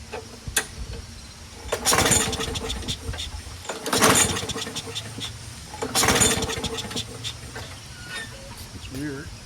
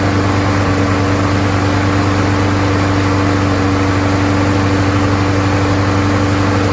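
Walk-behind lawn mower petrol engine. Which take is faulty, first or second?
first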